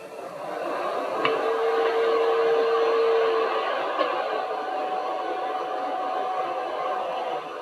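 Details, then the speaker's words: Stock power supply fan from an Elegoo Neptune 2S 3D printer, running with the case grille held over it: steady airy whoosh with faint tones as airflow hits the grille and turns turbulent, far noisier than the fan without the grille. "so you see the fan is not silent by itself but the noise is completely different when we put the grille over it we can hear the turbulence being generated from the air blowing and hitting the grill instead of going out freely"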